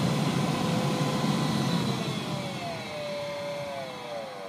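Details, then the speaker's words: 2011 Honda Pilot cabin blower motor at 9°: whirring hum on lowest speed turns into wavering rising squeal as fan speed increases; worn blower motor bearing, motor replaced. "m making this video because my blower motor in my 2011 Honda Pilot is uh starting to make some serious noise."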